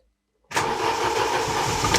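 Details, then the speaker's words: 2008 Chery Jaggi 1.3 petrol, towed in not starting with code P1614 (immobilizer/ECU not recognizing key): after fuel pump primes, quick crank catches cleanly into steady even idle, no stumble; car now starts normally. "відпрацював Та ти що машина заводиться"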